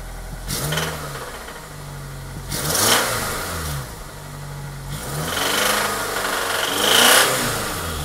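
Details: 1998 Honda Accord EX 4-cylinder VTEC: the engine revs up and settles back several times with an extra rattly edge riding on the revs. Source unidentified.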